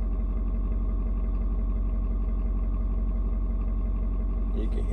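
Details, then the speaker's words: Ford Super Duty 6.7 diesel, cold start at 56°F. Steady clatter at about three beats per second, the tone gently shifting as it adjusts the fuel mix to the temperature; clean, nothing wrong. Normal cold high idle. "the truck engine kind of doing different tones what it's doing is it is reading and figuring out temperature outside it's trying to figure out you know um how much fuel to mix with the air"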